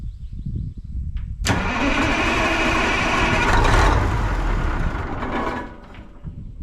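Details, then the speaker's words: 1980 Peterbilt 359, Cat 3408 diesel, long-sitting, not yet pulling its own fuel: starter whirr, then catches on ether with a deep even rumble that fades off; healthy firing on starting fluid. "Dude, it sounds freaking mint. Yeah, it does. If we get the damn thing to pull fuel, we'll be in business."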